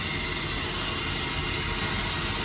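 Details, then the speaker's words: Kenworth semi truck: a steady sharp hiss with no rhythm over low truck rumble. An air line rubbed a hole in it, which is why the passenger air seat wasn't working; roadside fix planned, to be redone at home. "It's the reason why the passenger air seat wasn't working. I guess it rubbed a hole in it."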